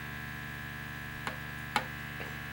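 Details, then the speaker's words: ARP Axxe vintage analog monosynth gives a constant low electrical hum with a thin whine and faint clicks. The owner hopes it is just ground-loop noise, since the synth's power supply is on a different circuit than the mixer; mains hum, cause unconfirmed. "i hope it's just a ground loop noise coming out of the synthesizer because it turns out that the i know that the power supply that it's on is on a different circuit than my mixer"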